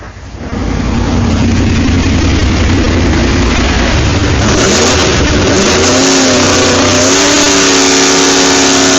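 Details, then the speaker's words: Newly rebuilt Mosler engine on the DTW Engineering dyno, eight throttle linkages set, climbing the rev range: loud, crisp, smooth rise under load, no knocks or misses; rebuild successful. "So far, sounding really nice. Don't know whether you can hear that in the background, hopefully you can. Sounding really crisp, really nice. Sounds like the rebuild's been very successful"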